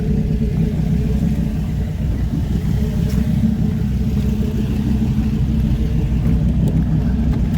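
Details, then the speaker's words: SRT10 Dodge Ram with 500HP Viper V10, bought listed with engine and transmission issues and arriving dead, jump-started: deep, even rumble at steady idle with no knocks, misses or ticking; engine sounds fine at idle. "And to my surprise, the engine itself sounded fine, and it clearly went into reverse. All right, they parked it for me over here. That sounds all right."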